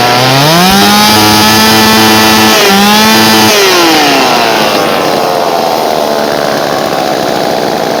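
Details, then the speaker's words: Homelite Super 2 chainsaw, just dialed in: small two-stroke buzzing high, blipped once, then steady even idle with no stumbles; earlier idled 20-25 minutes without dying; healthy. "She just idles right along. I just let it sit and idle outside in the grass for like 20-25 minutes earlier. Didn't miss a beat."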